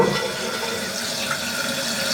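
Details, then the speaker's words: Toilet flush test after replacing the bad flapper with a Fluidmaster fill valve and flapper kit: a steady rush of water drains and refills with no hissing or trickling afterward; flapper sealing, though the handle chain is slightly loose and needs adjusting. "alright so testing the flush"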